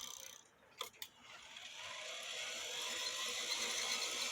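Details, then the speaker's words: Regula 701 one-day cuckoo clock movement, governor with fan blades removed, after polishing the governor pivot and adding a drop of oil (750 g weight fitted): light clicks, then a smooth, fast, rising whir, free-running with no more noise. "no noise you see how fast it went"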